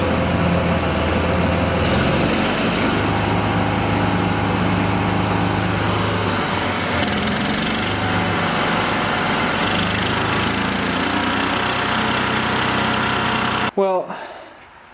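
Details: Argo small engine with choke on, running dirty fuel: surges and hunts with uneven speed and rattly clatter, then cuts out; fuel pump is pulling fuel, noise suspected from clutch side, not a knock, unconfirmed.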